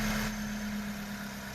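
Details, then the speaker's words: 发动机烧机油、敲缸异响维修后（更换特制活塞环，未大修）重新启动怠速：平稳均匀低沉嗡声，无敲击声，敲缸异响已消除。 "发动机敲缸异响的声音已经没有了，烧机油的问题我们也给车主大哥解决了。"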